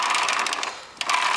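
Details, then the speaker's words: Lawnmower wheel with a modded retread, after greasing the bearing and refitting the seal: quick, even ratchet clicking of about fifteen a second as the wheel turns, pausing and resuming; the ratchet is engaging properly. "Hear that clicking? That's good. That means it's working."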